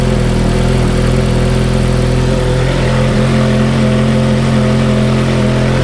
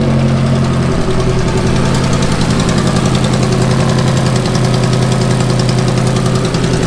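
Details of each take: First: Ferrari F430 with good exhaust headers, at idle: deep, even V8 idle with only faint valve ticking and no puffing or leaks. Normal idle. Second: Ferrari F430 V8 at idle: loud, busy, rapid uneven ticking puffs, about three or four a second, from blown gaskets on the aftermarket headers. Headers then reinstalled with new hardware and factory gaskets. Exhaust leak.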